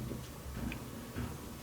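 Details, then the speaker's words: GE DeepFill high-efficiency washer, two years old and heavily used, which sometimes fails to begin its wash after Start: soft ticks about twice a second over a quiet hum as the drum shifts while weighing the load; normal load sensing. "it says it's going to sit there, and you're going to sit there, and now it's weighing it."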